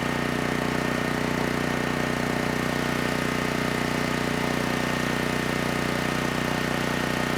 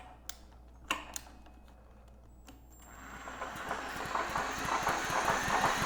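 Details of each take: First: Generac GP6500E generator after repair of seized engine, warmed up, under load up to 6,000 W near max: loud, even drone pulsing about three beats a second with constant hum, no stumbling; held 121 V, just below 59 Hz, no issues. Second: Generac GP6500E generator engine, previously stuck partway through rotation, spun over by a braked drill with recoil removed: drill whine with soft rhythmic puffs about three a second; turns freely, compression audible but sounds weak, minimal leak-down seen.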